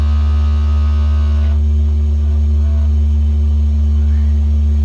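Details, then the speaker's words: Organ chamber: a deep, steady pedal-pipe note with a fast rattling buzz, caused by a loose stopper vibrating inside the stopped pipe; fixed by moving the stopper back into place, then retuning. "sometimes these Stoppers come loose and they start to vibrate and so that's what's causing that buzz so I'm gonna go ahead and see if we can get that fixed up"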